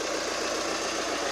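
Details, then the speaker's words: Chevrolet Colorado 2.8 L Duramax diesel idling after starter replacement for a no-start: steady, even diesel idle with no knocks or stumbles; engine healthy, good to go. "2019 Colorado, 2.8 liter. Good to go."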